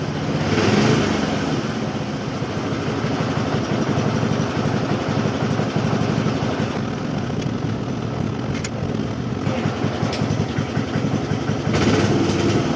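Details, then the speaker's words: Cub Cadet single-cylinder mower with new chain, air filter and oil change, idling with air cleaner on: deep loping chug about four beats a second, slightly uneven; idling rich, and the engine also burns a lot of oil. "But idle little bit different with the air cleaner on. Uh it is idling rich, but it also burns a lot of oil"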